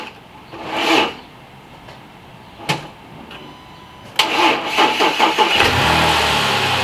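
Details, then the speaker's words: Chevy Suburban that had been misfiring and running rough, at restart after work on the coil packs: after some handling clatter it fires and settles into a steady, even idle with no stumble or shake. Normal idle, misfire gone. "It was running rough. It was putting, and you can tell it was a misfire. This time when I sat in it, and I didn't feel a misfire, so everything Gucci."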